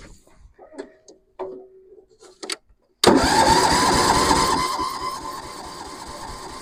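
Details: Massey Ferguson 7 lawn mower sitting many years: steady cranking about four beats a second, single cylinder never catching or speeding up; owner thinks carburetor mixture screw needs turning out more; lean mixture, crank no start.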